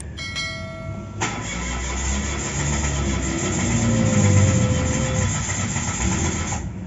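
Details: Mitsubishi Mirage G4: starter whirs and the engine cranks at a steady beat for several seconds but never catches or picks up speed; crank, no start.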